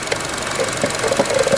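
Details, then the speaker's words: 2012 Chevy Cruze Eco, 1.4 turbo Ecotec, 156,000 miles, idling quietly with a light plasticky rattle from a loose engine cover or trim piece that stops when pressed by hand; cause suspected, not confirmed. "That's probably made in China. That's why it's rattling. Watch when I let my fingers off, it'll rattle."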